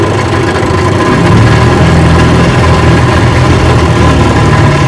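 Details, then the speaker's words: Rebuilt 1959 Evinrude 18 hp fast twin two-stroke outboard with the gear case rebuilt, running in reverse while still pumping water. Steady, even burble with no knocks, misses or grinding. Normal running in reverse. "Yeah, reverse works. Still pumping water."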